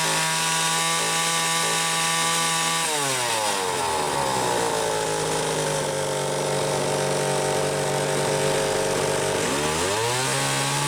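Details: Homelite XL-500 chainsaw with optional silencer muffler, garage test run: steady high-rev scream, drops back and picks up cleanly, no misfire or rattle; tuned close, runs strong and healthy.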